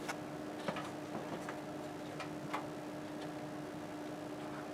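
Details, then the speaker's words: 1997 Amiga 4000T tower, one of the two hard drives that came with it on first power-up: faint dry ticks every half second over an electronic hum and the drive never spins up, so the hard drive is failed and clicking. "it can't make up its mind well that doesn't sound good"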